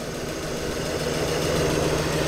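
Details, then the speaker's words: Ford V8 Pilot, older restoration, after fresh antifreeze coolant change and replacement distributor and carburettor: even, steady low V8 burble at idle, no ticking or knocking; normal, sweet-sounding healthy idle. "that's one sweet sounding engine that is"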